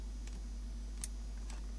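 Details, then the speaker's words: Philips portable CD/radio switched to the radio position and powered up: a few sharp, isolated clicks from the speakers over a low hum, with nothing lit or playing; the set is still dead. "The speakers are making a clicking noise"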